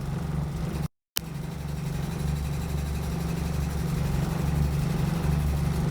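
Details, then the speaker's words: VW Golf Mk1 with swapped 2.0L 8v engine, phone clip of an intermittent noise that later vanished: low steady engine drone with a faint uneven beat about four times a second; owner hopes removing gearbox reveals cause; intermittent engine noise. "however i did take a clip of the noise with my phone that way i can at least prove that something was wrong before"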